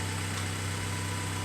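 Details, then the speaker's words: Flood-damaged purple Honda Civic hatch track car after a swap to a freshened donor motor with new timing belt, plugs and clutch, idling by itself at a steady 1,000 rpm. The air intake and its sensor are not connected and there are no check engine lights; a smooth, even hum with no misses, so a normal idle. "well it's running good now with no one in the car it's is running on its own it's a steady 1,000 rpm idle I think that's pretty good"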